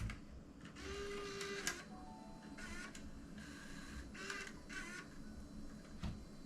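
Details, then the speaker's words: Panasonic AG-HVX200P DVCPRO camcorder, tape loading retried after a rough first attempt: short whirring motor bursts with light clicks in a smooth, even sequence, no catching or grinding; tape loading mechanism sounds healthy, no error codes. "This tape compartment feels a little loose. I'm not sure again how these are supposed to be now. You see that sounded better."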